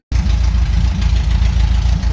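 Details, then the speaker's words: 1975 Porsche 914 flat-four with new points, condenser and repaired intake valve, headers only with no mufflers: loud idle rising and falling slightly, a little bouncy/lumpy; an improvement over before. "the Mufflers are not hooked up no Muffler just headers and everybody fires right up so that's an idle a little bouncy"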